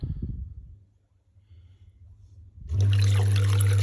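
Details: Intex Greywood PureSpa hot tub (2021/2022 model), back on after E81 power-off error: after a quiet pause the filtration pump starts with a steady low hum over gentle water rush, even and rattle-free; working normally.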